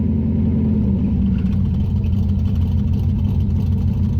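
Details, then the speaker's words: Ratty V8 four-speed Ford Maverick after Holley carburetor diagnosis and revival: smooth, even idle with a slight throttle hold, deep steady rumble with no misses or pops; much cleaner, no fuel leaks, air-fuel adjustment valve trimming steadily. "she is idling got a little bit of foot feed here but exponentially cleaner"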